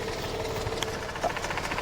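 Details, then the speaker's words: Mazda RX8 rotary bought at auction, cold, started on second try: idle uneven and ragged with a faint light tap over the hum; doesn't sound healthy, owners suspect possible compression issue, unconfirmed. "I can just hear, it just doesn't sound healthy. It doesn't sound right."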